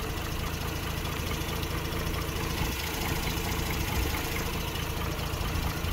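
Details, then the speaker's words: 2006 Mazda RX-8 rotary at warm idle with a lumpy, uneven beat that suggests a misfire; Picoscope checks show all ignition coils look similar, so the owner thinks any misfire is not ignition-caused. Rough idle. "okay so you can hear the lumpiness that's fine"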